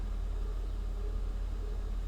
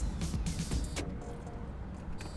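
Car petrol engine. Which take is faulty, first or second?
second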